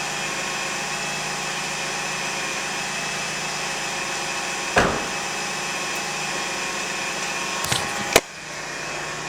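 A constant high whine sits over the engine's hum with a few clunks from handling; the source is not pinned down. Cause suspected, not confirmed.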